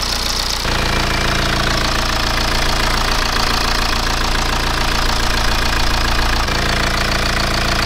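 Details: BMW E87 1 Series N47D20 177 hp diesel at idle after reassembly with the bolt torqued about 40 Nm plus 120 degrees: even regular clatter, earlier noise gone, though an internal engine issue remains under the valve cover.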